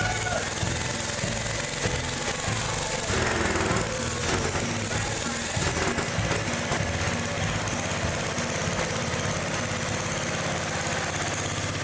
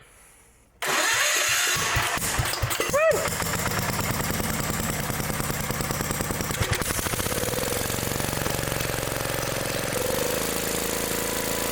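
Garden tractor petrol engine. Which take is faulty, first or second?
first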